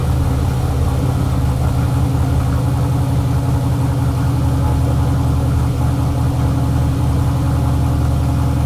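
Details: Chevelle turbo LS with a Holley Terminator X on first start-up, fuel pressure 75 psi, no radiator cap: a steady, deep V8 rumble idling faster than target; the idle air control sat at 0%, and the owner suspects the throttle blade was open too much.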